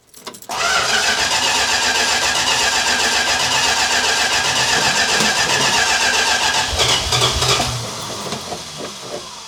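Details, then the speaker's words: 1967 Dodge Charger 383 V8, first start in 15 years after a new fuel filter: starter churns fast and evenly for about seven seconds without catching while fuel primes through the filter. "It's going to take a little bit of cranking to get the fuel in through the fuel filter, etc."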